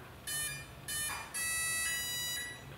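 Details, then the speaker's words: 60A brushless ESC on an RC plane after an onboard ESC fire, battery plugged in for motor test: clean high beeps, two short then a longer held tone; normal arming sequence, motor then spins fine. "so now right away i already heard those beeps and they sounded very clean and normal so i'm expecting some good things here"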